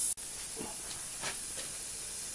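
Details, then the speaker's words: Outboard lower unit, pressurized by compressor: a soft continuous hiss with faint puffs, air escaping past a seal whose spring is visibly broken; likely leaking for a while. "okay I'm hook up to the compressor if you can hear it or not but there's air hissing out you can actually see the spring is broken on that seal so that's probably been leaking for a"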